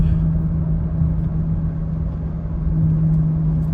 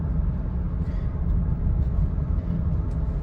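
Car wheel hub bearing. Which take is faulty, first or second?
first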